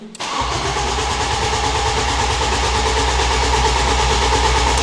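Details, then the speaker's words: Ford Fusion (originally 79bhp) swapped with a 2.0L Fiesta ST engine, first start attempt: starter churns steadily at about three compression beats a second but the engine never catches; a fire heard, fuel tank found empty. "I heard a fire. I think we just need some throttle. Interesting. How much fuel have you got? Oh! None. That makes sense."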